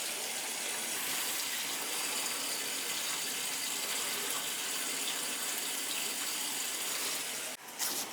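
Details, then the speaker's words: Crown gas boiler heating zones after purging all three zones (third floor had air): smooth, even hiss of water through the pipe with no gurgles or air spurts; zone flowing cleanly. "all right so we're all purged we got all them zones back opened up she's ready to rock and roll"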